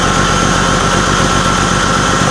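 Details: BMW E46 328i after new exhaust headers/catalytic converters were installed, O2 sensors refitted and codes cleared, idles steadily and evenly with a slightly louder exhaust note. There are no ticks, puffs or rattles; the engine idles healthy.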